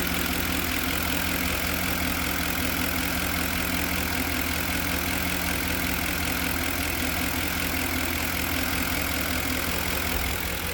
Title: knocking sound from 2010 f150